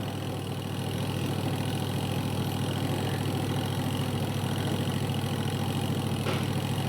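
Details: Aqua Japan washing machine after spin-dryer motor repair (dryer had not been spinning): spin motor holds a smooth, even low hum with no knocking or scraping under load; normal spin cycle.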